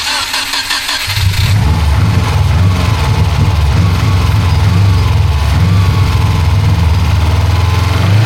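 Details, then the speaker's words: Rebuilt Subaru WRX after first test drive, over-fuelling with black smoke, not boosting past 2,000 rpm, aftermarket module and cut wires found: lumpy uneven low rumble like a tractor; rough running, struggling to build boost, cause suspected. "To me, it just sounds like a tractor. It definitely sounds like it's struggling to build boost."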